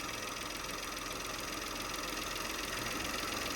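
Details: Peugeot 2008 GT Line 2017, no engine management light: quiet, even idle with only light injector ticking, no misses or rough patches; running fine.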